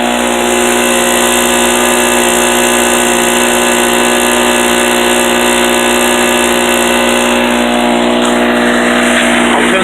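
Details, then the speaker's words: Harbor Freight 800/900 W portable generator with a little choke, loaded to its maximum by a shop vac: a steady, even drone with the rattle gone. The rattle was only exhaust ping, not a knock. Normal running under full load. "And as soon as I do that, I'll switch the shot back on. You'll hear that rattle go away. And it's gone. That noise is no longer there."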